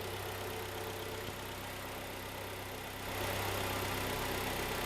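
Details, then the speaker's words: 2011 Kia Cerato G4KD, 211k mileage, after engine rebuild for scoring and knock: quiet, even idle with a smooth steady hum, no knocking or ticking, started crisply; normal idle. "Ну что зашептал малышка ожила хорошо работает прокачалась и завелась прямо так чётенько да"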